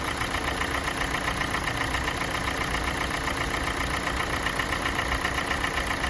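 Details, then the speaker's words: Kia Sportage 4G 2017, G4NA engine, 265,500 km, warm idle: steady tapping about two knocks per second, absent at cold start, increasing with warm-up; owner thinks not piston slap, cause unknown. "Вот сейчас обороты упали, слышно стало. По мере прогрева мотора возрастает вот какой-то стук, которого при пуске не было."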